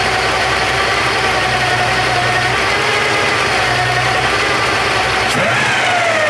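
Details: Porsche 928 V8 idling with all auxiliary belts removed: thin, steady high whine following the engine, unchanged without belts; loose oil pump pulley rubbing the timing cover.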